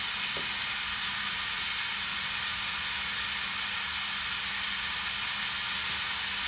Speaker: you hear the air hissing that's my leaky air machine that I need to do something about